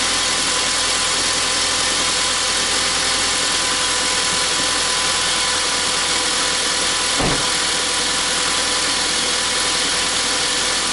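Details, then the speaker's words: 2003 Honda Civic after head gasket replacement: smooth, even idle with a steady hiss and no knocks or misses while smoke burns off the exhaust manifold. It idled 25-30 minutes without the earlier overheating, so the fix worked. "See, there's the smoke coming from the exhaust manifold. It sounds good."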